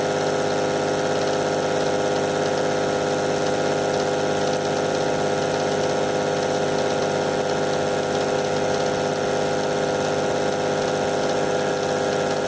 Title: VW LT 28, Motor S1 Motorgeräusch (Vakuumpumpe)